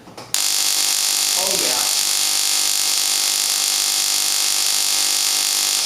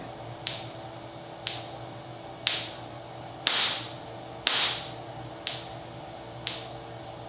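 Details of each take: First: Hitachi R35 (Nissan GT-R) coil-on-plug coil replacing Mitsubishi Mirage coils, bench spark test at 6,000 rpm, 1.5 in gap, 4 ms dwell: fierce, even, high-pitched crackling sparks with no dropouts, strong consistent spark. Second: Stock Mitsubishi Mirage coil-on-plug coil at 6 ms dwell: sharp spark snaps about once a second with quiet gaps between. The weak coil strikes only every 3–4 fires and misfires.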